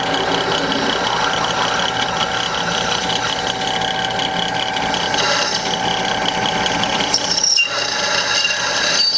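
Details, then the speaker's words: Drilling through steel: steady grinding cut with a brief high squeak near the end of the hole; bit ran short of cutting oil, so stop and add oil. "it didn't get a little oil at the end and it started to you know squeak make some noise and if you hear that you just want to UM you want to be able to take it off and take it off and put a little oil on"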